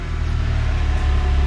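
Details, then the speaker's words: VW Rabbit with 280,000 miles, just after replacing the broken serpentine/water pump belt: steady, even low idle rumble with no squeal or knock, running like new; slight noise possibly from the exhaust noted afterward. "All right, 10 minutes later, it's all fixed up. Let's start it up. Like new."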